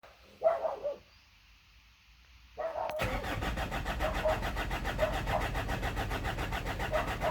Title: BT50 3.0 no start, no codes. Low fuel pressure. Failed pump